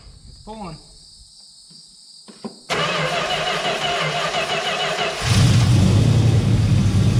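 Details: 1971 Plymouth Valiant Scamp, parked 16 years, now pulling fuel from its own tank: crank and catch, settling into an even, steady idle with a smooth low rumble and no misses; running smooth, sounds really good.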